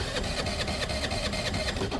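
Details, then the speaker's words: A friend's small Piaggio turning over with quick, rhythmic chuffing about four to five beats a second and an uneven note; it has good strong spark; owner suspects a bunged-up carb and dislikes the note change; cause unclear. "I don't like the note change in the engine that I don't like that"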